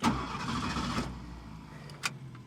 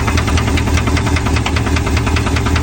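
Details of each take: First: A 1969 Ford Mustang Mach 1 (351 Windsor small-block) with period-correct performance parts just fitted gives a short crank, then catches at once and settles into a steady idle; it starts normally, though a faulty starter solenoid later fails. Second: 1969 Ford Mustang Mach 1, 351 Windsor small-block V8, first start after fitting period performance intake parts: hard metallic knock about four per second over a rough idle; owner hopes it isn't rod knock.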